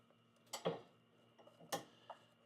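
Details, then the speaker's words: A couple of sharp metallic clunks as the link is rocked by hand: a sway bar link left untightened after fitting new quick strut assemblies, the source of the noise heard while driving. It must be tightened with the vehicle's weight on the ground. "That's what that noise was. And I did not have this tightened."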